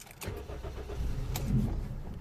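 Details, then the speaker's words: Toyota Yaris 1.3, code P1310 igniter circuit 3, after immobilizer repair, someone had tampered with ECU plug wires: engine catches with a few weak firing pulses then stalls within seconds; starts then stalls from a cut igniter wire. "now it starts but it's just as you can see I'm sorry to turn the key run"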